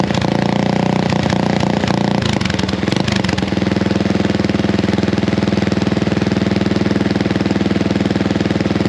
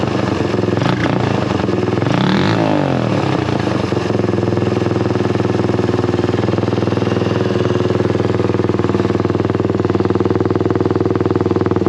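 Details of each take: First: Honda XL175 single-cylinder dual-sport at idle before the homemade muffler is cut off and redone: loud, raw bark with a fast uneven thump, far too open; muffler doing little to quiet it. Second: Honda XL175 single-cylinder dual-sport at idle after exhaust/muffler replacement: steady, deep thump with some handling noise early on, not much quieter but a deeper, mellower note; exhaust sounds healthy.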